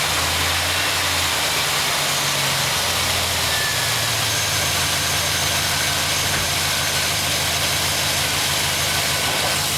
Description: 2006 AWD Trailblazer SS piston slap cold start.